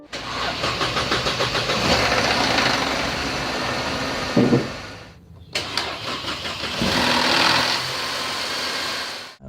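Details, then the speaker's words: Mercedes-Benz C-Class W204, M271 Evo petrol engine (CGI or Kompressor), morning cold start: engine catches and settles to an even steady idle with no timing chain/sprocket rattle, a normal cold start. "Bila enjin sejuk, tuan-tuan start, mula start pagi, tuan-tuan start, selalunya tak akan ada bunyi. Bunyi biasa tu, bunyi enjin biasa tak akan ada bunyi lah"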